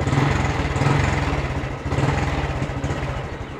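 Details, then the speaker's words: Honda Blade fuel-injected motorcycle single-cylinder engine running after starting: steady, even low putter with no stutter, so fuel pump or injection ruled out; fault suspected in a socket with wire left inserted. "Oke ini mesin hidupnya suaranya tidak brebet ya teman-teman tidak brebet kalau memang yang bermasalah fuel pump"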